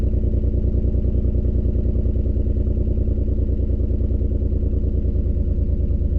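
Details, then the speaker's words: 2003 Ford Escape idling with a lumpy, uneven beat and regular stumble; loud exhaust leak, no flashing check-engine light, slight shake; onboard monitor shows misfire counts on cylinder 4, coil suspected. "So see there how it has a value on cylinder 4. So cylinder 4 is misfire."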